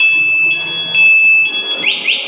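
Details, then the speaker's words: Motorcycle with an ECO 9 anti-theft remote: pressing the lock button kills the running engine remotely and the alarm sounds, shrill warbling siren tones sweeping up and down with no engine underneath. "kalau dimatikan pakai ini ya, gembok kunci ini dia akan bunyi sirene motor mati dan bunyi sirene."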